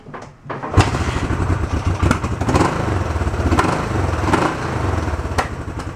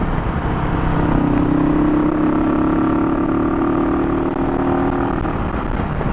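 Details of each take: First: Barn-find 1971 Honda CB350 twin, restored carbs, sat an hour and a half so not cold, started without choke: fires straight away after a quiet crank and settles into an even steady idle; starts nice, runs healthy. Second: Barn-find 1971 Honda CB350 twin, kick-started because the battery is too weak to crank. Burbling idle that drifts up and down and never settles; the idle speed is erratic, cause not pinned down, and the owner wants a good battery fitted first.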